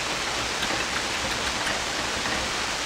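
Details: Hammarlund SP-600 communications receiver with rebuilt RF deck, supply voltage low at 92 volts: only a steady, even hiss with no carriers, tones or voices; no stations received, double-conversion switch left in neutral position.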